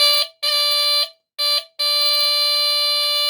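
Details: Replacement buzzer newly soldered into a Lionel diesel locomotive, battery hooked up and triggered through the relay: a loud, clean buzz in short and long bursts with a steady pitch each time. Horn buzzer working properly.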